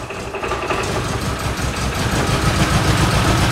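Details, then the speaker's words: 1973 MG Midget parked over 40 years, oil leak and timing addressed, good oil pressure: small four-cylinder runs fairly evenly at fast idle, steady pulses building slightly, no knocking; normal running. "i'm going to try and make it start and i did it runs"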